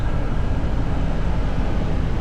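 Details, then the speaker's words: Rooftop unit tested with a temporary 3 amp fuse in cooling mode after heating passed: a steady, deep, even roar with a low rumble and no knocks or squeals; working normally. "And now we're testing cooling. Everything is working as it should."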